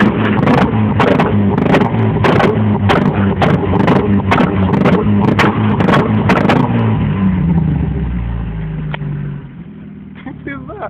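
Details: Opel Astra GSi 16v four-cylinder revving: sharp cracks and pops about twice a second through the exhaust, fading as revs drop, cause unknown; exhaust backfire.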